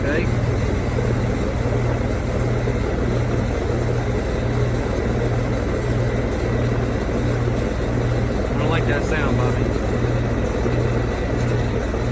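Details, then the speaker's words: Older customer's HVAC system, recently repaired, during a refrigerant leak repair on a warm April day: the compressor kicks on with a steady low hum and a rough rattle about 1.5 beats a second. The technician suspects low refrigerant or the block. "The compressor kicked on. Hear that rattling noise? Got a rattling. That's either low refrigerant or the block."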